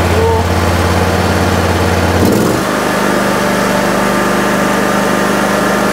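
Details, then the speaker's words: 2006 John Deere X320 riding mower, after replacing the control module (ECM): single-cylinder engine steps up from idle to a steady, even drone without misses; now running fine. "right there guys we seem to be running fine just from changing that ecm right there"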